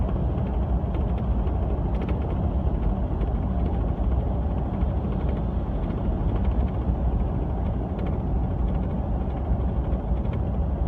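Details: 2015 Ford F150 with a brand-new LEER Bulldog bed canopy, driving: constant fast rattling and ticking over heavy road rumble, from the canopy, since the noise is absent with the canopy removed; LEER's repair did not fix it.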